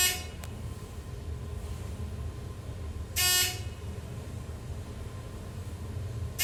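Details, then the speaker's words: 2010 thyssenkrupp Synergy MRL traction elevator in a parking deck, machine in the shaft right by the cab: steady low hum with a faint even tone under cab noise; normal traction machine running. "as you can hear the machine this is quite audible that's because it's right there in the chef's this is it moral traction there"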